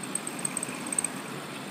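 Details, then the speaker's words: Stand fan running: thin, very high chirping squeal in irregular bursts over a quiet motor whir; owner suspects lack of lubrication, possibly with rubbing damage after long use. Fan motor squeal. "check this out. Oh man, that sounds bad."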